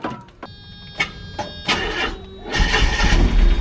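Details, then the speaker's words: Mazda Eunos Roadster, 50,000 miles on the odometer, sitting about 5 years: clicks and dry cranking, fires and roars only after brake cleaner is sprayed in, showing no fuel delivery; failed fuel pump. "it goes found my issue the old pump it is so I'll restart this video when I get it in the mail"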